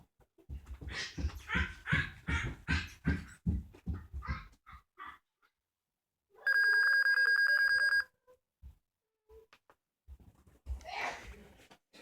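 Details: Dell Inspiron 1545 laptop at power-on: a single steady high beep lasting about a second and a half, no boot sounds after; laptop won't start, cause unknown.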